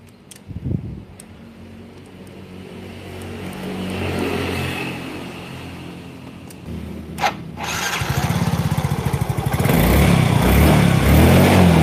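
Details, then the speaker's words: Yamaha Mio J scooter with poor running, after swapping in an injector borrowed from another bike: fires after a quiet stretch and climbs into clean, even revs with no stumble, noticeably better; normal revving. "langsung kerasa banget beda"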